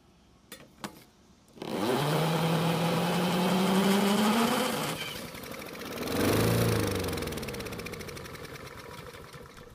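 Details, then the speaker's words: Free Honda mower, reportedly non-running and missing parts, fuel poured in carb: catches, revs rough a few seconds, then winds down and quits. Runs briefly then dies. "Luckily, it started and ran for a few seconds, but after taking a look around at all the parts that are missing, the cost to fix it is quickly adding up."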